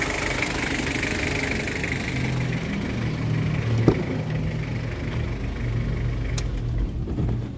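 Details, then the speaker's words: 2012 Mazda BT-50 double cab turbo diesel (Ford Ranger twin): steady, even low drone with no stumbles, knocks or hunting, turbo working well; normal healthy turbo diesel idle. "Oke kita coba dengarkan suara mesinnya mesin sangat garing mesin sangat mantap pemirsa tooksare tidak pincang Turbo juga bekerja dengan baik"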